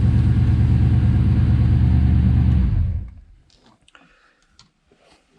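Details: Ford Foxbody V8 after removing an old aftermarket alarm: deep, even rumble runs steadily for three seconds then shuts off cleanly; healthy engine, no knocks or misses.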